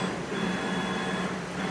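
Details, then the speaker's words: CNC Z-axis ball screw after realignment, running at full speed: even servo hum with no grinding or labouring. It previously sounded rough from a tilted ball screw and nut. "So now that we let it loosen up and put it back in, so now it sounds good. It's moving straight up and down"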